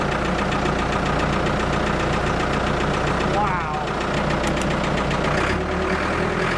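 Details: Abandoned Ford 655A backhoe diesel after revival, hydraulics working: steady even chug dipping slightly under load then recovering, no misses; engine sounds good, blow-by basically none, healthy.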